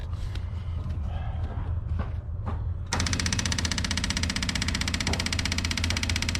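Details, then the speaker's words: M718A1 ambulance Jeep, first start after reassembly, with diesel fuel spilled about and no coolant yet: after handling noise it catches and settles into a steady, even diesel clatter at idle with no misses and no smoke. Normal idle. "oh it's amazing sounds good even you know there's no smoke alarm freight train either"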